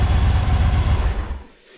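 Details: Yamaha Virago V-twin after replacing both ignition coils, new plug wires, NGK caps and spark plugs: deep, even idle thump with steady firing pulses before it cuts out, steady tach, no misfire or stumble; normal start and idle.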